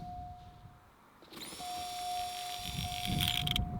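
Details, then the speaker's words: 1991 Oldsmobile Ninety-Eight Touring Sedan fuel pump, removed and powered through the factory harness on the bench: steady high whine, then gritty grinding as it spins down; pump condemned as worn, though fuse blowing was later traced to the relay. "oh it sounds a bit chunky hear the grinding when it spins down I don't that don't sound good"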